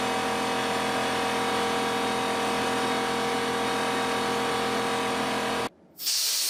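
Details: New Porter-Cable C2002 6-gallon 150 PSI pancake air compressor running, a steady even motor drone with an airy hiss and no knocks or rattles, briefly cut near the end; healthy.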